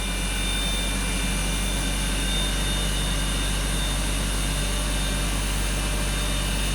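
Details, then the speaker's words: BMW X5 with earlier misfire and bank 2 lean, first start of the morning, oil temperature 42, intake 46: steady, even idle hum with no skips or stumbles; running cleanly with no misfire. "Now it runs great. Absolutely no misfire at all. This doesn't make any sense at all. This car has no misfire whatsoever right now. Runs perfect."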